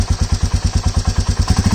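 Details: Royal Enfield Meteor 350 single-cylinder at idle after start: light even tick on every beat, about eight per second; ordinary tappet/valve clearance noise, nothing abnormal.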